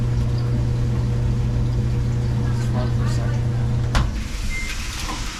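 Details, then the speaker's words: Samsung DVE50M7450W dryer on empty cycle after no-heat repair. Steady low hum with even drum rumble dropping off near end; nothing abnormal, now heating, normal operation. "I can already hear it starting I can already feel it starting to get warmer"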